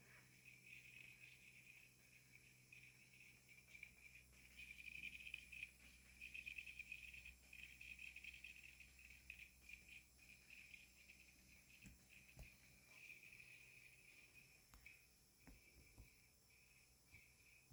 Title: New Blomberg Fridge makes chirping noise :( #blomberg #longeatonappliances